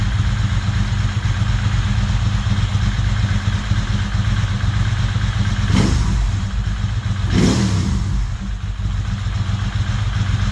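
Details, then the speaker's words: Ducati 916 after replacing fuel pump quick connector O-rings to stop leaks: deep even V-twin idle with brief blips, no missing beats; idle a little slow, owner suspects pilot screws slightly out of tune. "so can you hear are the idol a little bit slow not very good deing person Idol's a little bit slow"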